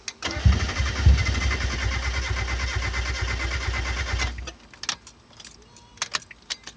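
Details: 1991 Mazda Miata after new clutch and new fuel pump (pump not heard priming), suspected jumped timing, injector found loose from rail: starter churns about two beats a second for four seconds, no catch; crank no start.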